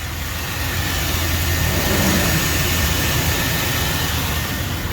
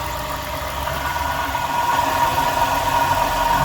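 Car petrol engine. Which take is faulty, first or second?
second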